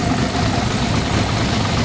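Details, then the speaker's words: Maserati Quattroporte S 4.7L V8 with the cats removed and the fuel system run with carb cleaner: a loud, uneven, lumpy idle that stumbles and stays bad with throttle, with smoke under the hood; rough idle unchanged after the work. "Yeah, that's what I expected after all that work. After all that work, Mike, it runs exactly as crappy as it did before we started. Yeah. Give her a little throttle. It's bad. It's real bad."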